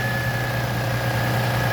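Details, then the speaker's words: 2002 Chevrolet Tracker bought for $750, engine light came on after about 100 miles, under-hood idle: steady even idle with low smooth hum and faint constant whine, no misses or knocks; runs fine. "let's hear what it sounds like it's not you know real noisy pretty clean under the hood too"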